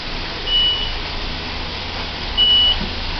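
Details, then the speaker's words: Caio Mondego HA on Mercedes-Benz O-500UA city bus idling at terminal; two clean high beeps about two seconds apart over low diesel idle, the normal door-open warning, nothing wrong. "Esse barulhinho aí é o anjo da guarda dele. Quando a porta tá aberta, o anjo da guarda fica pitando. Isso é normal."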